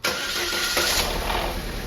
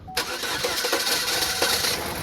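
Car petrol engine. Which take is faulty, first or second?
second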